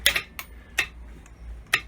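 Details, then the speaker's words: Yamaha V Star 250 with a new 2 PSI electric fuel pump replacing the vacuum pump, a manual V-Star 650 petcock and a new carburetor: sharp, dry, unevenly spaced ticks over near silence as the pump primes. Normal priming. "you hear the pump here it goes it also has a new carburetor on it"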